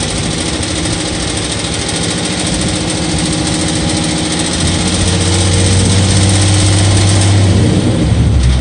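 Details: 2012 Ford Mustang 3.7 idling with light, fast top-end ticking about four per second over a steady hum; cause unknown.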